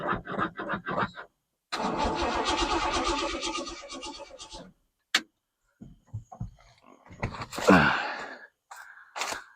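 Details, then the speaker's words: 1968 Ford F100 after sitting over five years, newly fitted Holley carburetor, fresh battery and temporary boat fuel tank: about three seconds of steady cranking with no catch; cranks but won't start, and not enough fuel appears to be pumped, suspected fuel delivery. "I don't see enough fuel getting pumped up in here, but let's see."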